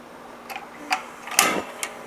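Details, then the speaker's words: Patio heater that lit then went out, after repair with the gas knob turned on: about five sharp, evenly spaced clicks, roughly two a second, over a quiet background; the igniter sparks cleanly and the heater lit first try. "soon as I turn that knob I can hear the gas flow so that means soon as I turn that knob it's ready to ignite"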